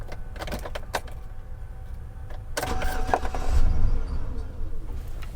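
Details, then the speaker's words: 2013 Chevrolet Silverado that cranks and runs fine normally, with no trouble codes: key clicks, then a brief low churning burst as the key cycles from on back to off, the starter trying to crank the engine. "it tries to crank when you just cycle the key on and back off"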